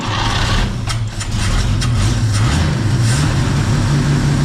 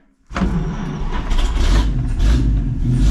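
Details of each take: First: 1951 Chevy pickup six, 6-volt points ignition, abandoned 40 years and fed from a fuel bottle; it catches and drones steadily for several seconds, then fades and dies. Fuel starvation; they suspect the bottle needs more venting or vapor lock. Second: 1951 Chevy pickup, 6-volt points ignition, abandoned 40 years in a farm field: catches within a second, settles into steady, even, deep idle, oil pressure rising, no misses or knocks; normal start and idle.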